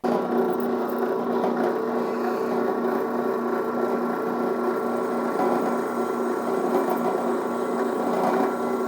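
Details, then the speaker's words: Newly assembled Harbor Freight drill press on its first test run; smooth, steady motor hum with no knocking or grinding: normal drill press operation, chuck works. "That sounds pretty good. Chuck worked."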